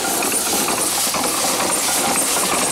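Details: Steam engine on its first run, boiler low on pressure: a constant loud hiss of escaping steam over faint chuffing. It is leaking badly from many worn seals that still need fixing.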